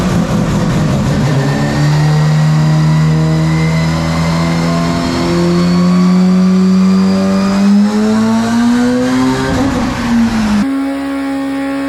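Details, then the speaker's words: Four-rotor Mazda RX7 at its first start after rebuild, with a four-into-one collector and a 3.5-inch single-box exhaust. A smooth, buzzy note climbs steadily to about 5,000 rpm, then eases off. Loud but running really well. "brilliant but it's so loud now that we're getting off to the higher side of the engine RPM so we're gonna have to call it a call it a night because you can you can start to hear it outside pretty easily"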